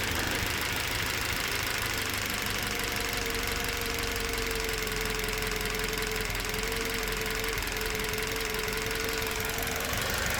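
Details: Toyota Verso 1.8 2ZR-FAE Valvematic, petrol/LPG, 180,000 km, at idle: steady idle with light ticking clatter and thin whine, slightly uneven; engine shakes, occasional cylinder 4 misfire; compression ~13 bar, plugs, coils, injectors OK, no leaks or codes; cause unknown.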